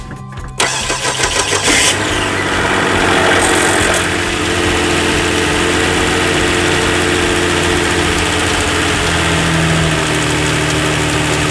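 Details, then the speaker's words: 2007 Hyundai Entourage 3.8 L V6 with no-start and P0102 code, after replacing the MAF/IAT sensor: starter cranks briefly, engine catches, flares up, then settles into a smooth, steady idle without stalling; normal idle. "So far it's staying on. We can wait for about 30 seconds or minutes. Staying on. That's good."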